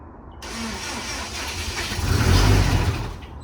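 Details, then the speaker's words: Subaru STi project first start after ROM flash, fuel pressure good, oil pressure uncertain: cranking catches, fires and swells about a second then sags and dies; starts then stalls, possibly not enough fuel. "You killed it? It started. Maybe not enough fuel."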